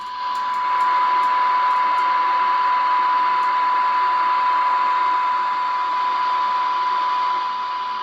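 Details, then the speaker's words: Radio Shack TRC-495 base CB receiver on a signal generator, test tone stepped down from -70 to about -110 dB: faint but steady tone still heard through light hiss; receiver handles very weak signals normally, sensitivity surprisingly good. "it's minus 70 80 - 90 - 100 110 you can just barely hear it at minus"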